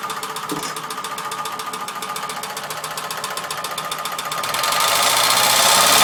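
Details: Ford Sierra 2.0 OHC carburettor engine; sharp, even metallic knock about 220 per minute, louder as revs rise; engine knock, cause not known.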